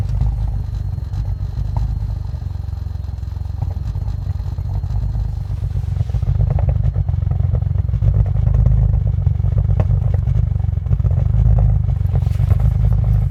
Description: Rough idle 15*F cold start, 2001 allroad, f21 turbos, base stage 3 file, 85mm maf